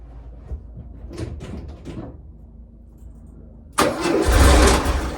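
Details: 1967 VW Splitscreen air-cooled flat-four after clean-up and service: quiet, then catches cleanly and revs smoothly; previous slight backfire gone.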